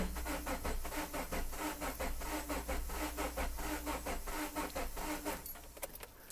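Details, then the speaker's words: 2011 Subaru Forester 2.5 DOHC, crank no start, low relative compression: steady even cranking about 88 beats a minute, spins freely without firing; with cam sensor out, left bank 2 camshaft isn't turning, probably a broken timing chain. "So it's not spinning, so it's probably got a broken chain."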